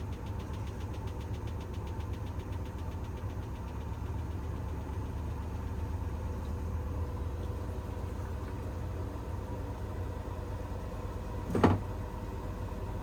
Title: Bosch - Very strange noises + unbalanced spin